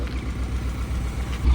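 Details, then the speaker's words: 1950 Ford Police Special (Shoebox), first start in about 50 years, not warmed up, known fuel problem: a low, lumpy, uneven tractor-like idle that sounds and smells very rich. Rough idle. "it sounds kind of tractorish. like really rich. Smells really rich."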